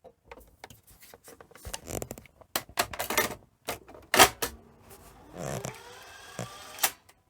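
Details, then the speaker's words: Sony SL-C5UB Betamax after under-deck and top belt change and clock button repair, cassette inserted: crisp clicks and short motor whirr as tape threads, slightly noisier but smooth, normal loading. "That was smooth. Yeah, it's a little bit noisier, but it's good."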